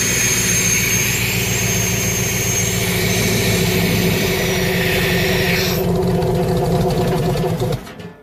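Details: 302 V8 powering an air compressor, running after refitting the old points distributor in place of the troublesome HEI; it now fires right up and no longer dies when the valve is opened: a steady, firm, regular beat with no misses.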